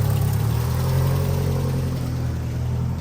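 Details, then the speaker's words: Tata CNG engine with faulty A36B ECU, code P2103: pressing the throttle, revs stay flat near 1,200 rpm and won't climb; blamed on electrical short into the ECU, likely from radiator fan circuit. "ดูเร่งไม่ขึ้นนะครับเหยียบคันเร่งรอบขึ้นอยู่แค่1,200รอบปอยเฮียครับ"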